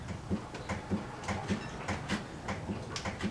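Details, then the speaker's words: 2007 Saturn Ion with a clunk and vibration over bumps, worse on the right side: dull clunks about every half second as the car is rocked by hand, from a dried-out right sway bar bushing with play. "but uh more like a thumping noise plus uh vibration it was worse on the right side but uh whenever the left wheel went over a bump or into a pothole you could also feel it as well"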